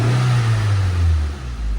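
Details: Nissan Exalta/Sentra that would not start, after swapping an incompatible ignition coil for a different replacement brand: catches, revs briefly, pitch drops smoothly into even steady run, no misfire; check engine light stays off.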